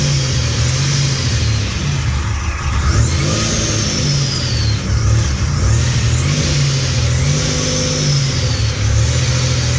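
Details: Fully built 3800 V6 race engine on its first start after the build: clean, even revs rising and falling smoothly through the rev range, no knocks or ticks, no smoke or leaks; healthy engine revving.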